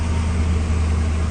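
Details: 2000 Ford F250 or 2003 F350 Super Duty idling after cold start in neutral, during neutral safety switch replacement; deep even low rumble, steady with no stumbles, knocks or surging; normal idle.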